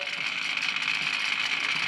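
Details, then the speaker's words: White Rodgers 1311-102 hydronic zone valve being replaced after leaking and failing; thermostat calls for heat, the actuator motor gives a steady high thin whir as it turns the valve open until the red dial shows; normal operation. "so we're gonna cover heat and you're gonna hear the valve the motor of the valve turning [Music] can you hear that right now the valve is turning to the left clockwise"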